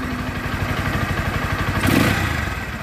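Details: Pulsar NS 160 bike with RPM problem: engine picks up crisply on a blip and falls back, loud open-intake rasp on top, no knocking or misfire; normal revving.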